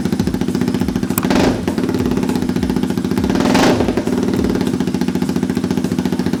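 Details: Honda Grom with swapped CBR250 engine, not run in about two years, running after fuel pump replaced and primed; steady, even single-cylinder putter with two clean throttle blips that rise and settle smoothly; normal running.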